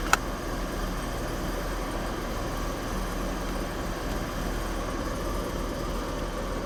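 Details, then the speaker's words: 1990 BMW E34 535i, M30B35 inline-six after rebuild, first start with exhaust and coolant, warming up with heater on full: smooth, quiet, even idle with steady low hum, no ticking or exhaust leak; engine sounds healthy. "Sounds good. Doesn't sound like it's got an exhaust leak or anything. Engine sounds fantastic."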